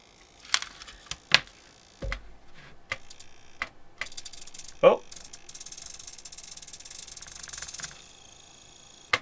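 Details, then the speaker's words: Elektor Laser Timer Writer on an Arduino fed 5 V from a bench supply makes irregular sharp clicks, clatter and a faint buzz. It malfunctions because the board needs at least 7 V to regulate its 5-volt rail. "so apparently these arduino boards can operate from 6 to 20 volts and if you supply less than seven it won't even be able to to manage its five volt rail properly"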